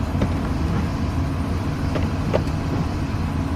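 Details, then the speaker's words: 2006 Chevrolet Silverado idling, single dull clunk when shifted into drive or reverse on brake, worse after sitting; owner found worn carrier (center support) bearing and worn U-joints on driveshaft. "when you uh got the vehicle sitting on a flat incline anything like that if you step on the brake and put it in uh gear you hear that clunk noise"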